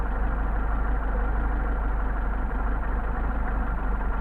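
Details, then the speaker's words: Mercedes 190SL Solex carburetors on a test stand, idle near 600 rpm: the mixture screw is turned too far and the low idle becomes uneven and loping at three to four pulses a second. Rough idle from an over-adjusted mixture screw. "can hear it degrading. So let's go back where we were."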